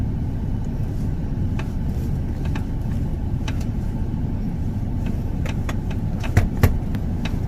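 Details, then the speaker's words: Toyota Alphard driving with sharp, irregular tok-tok knocks over steady road rumble from a door loose in its opening; the fix is adjusting the door gaps at two points, not fitting stickers or rubber rings. "老板，这个声音困扰我好久，去了好几家维修中心也解决不了。小问题，这只是门空隙调校问题而已。"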